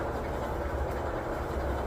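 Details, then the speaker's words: 20-year-old LG front-load dryer after a full rebuild for thumping rollers and no heat: smooth, low, even drum rumble with no thumps, knocks or squeals, exhaust vent warming; normal drum operation after repair. "All right, let's give this a spin. No pun intended. Oh, running good. Sounds good. It's quiet, no more thumping."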